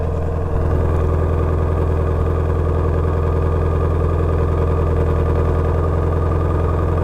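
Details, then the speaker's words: Salvage Ford Shelby GT350 at an auction yard, wrecked but with no undercarriage damage and brake fluid slightly low, started cold before warm-up. Loud, deep, even V8 idle burble with steady pulses and no misses, ticks or knocks: a normal idle. "this thing sounds really good i'm going to let this thing warm up and then i want to hear the exhaust"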